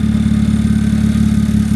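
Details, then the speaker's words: Honda Accord demolition derby car, engine running with alternator not charging: fast even ticking over steady idle from the little direct injection pump knocking away; normal high-pressure pump operation. "You can hear that little direct injection pump just knocking away, giving her as much fuel as she could ever need."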